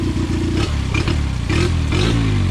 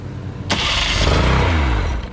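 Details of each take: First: Dropped 9.9/10 hp outboard surges up and down, then firing turns ragged and stumbles as it dies; fuel leaking between air box and carb, carb overflowing from misadjusted float; flooding, fix is adjusting the float. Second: Outboard with good 110–130 compression, first start attempt: fires immediately and revs crisply with buzzy two-stroke note, no stumbling; normal start, good running motor.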